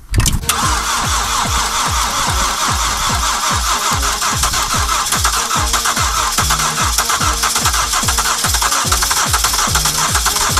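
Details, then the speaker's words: Car left cold and unheated at -30 outside, battery fully flat, started with a booster: brief crank, then catches and holds a steady, slightly lumpy cold idle with even pulses; a sound cold start. "на улице тридцатка машина холодная не грели"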